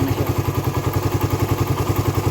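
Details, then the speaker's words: Raider 150 carb motorcycle, hot engine after a long ride, absent when cold: quick steady ticking from the head at about ten a second over a single-cylinder idle; owner suspects compression release or tensioner, unconfirmed. "Ayan guys yung yung kalansing na naririnig sa mob ng makina pero kapagka malamig siya wala naman siyang ganon kag umiinit na siya ng ano tood maitakbo na siya ng malayo kung mainit na yung makina niya"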